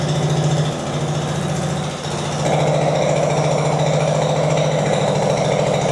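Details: Translucidus MT02 transparent educational single-cylinder Otto-cycle engine run with the transparent muffler's core removed via two Allen bolts; loud, rapid, raw unmuffled popping bark at about 3.5 per second, open exhaust noise.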